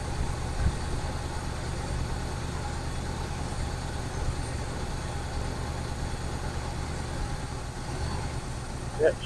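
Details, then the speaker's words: 1971 Buick Skylark V8 at idle after revival: low steady rumble with no knocking but still smoky, likely burning off Mystery Oil; owners suspect unhooked vacuum lines, may need idle set and oil change. "still smoky, but she's burning off some mystery oil probably still."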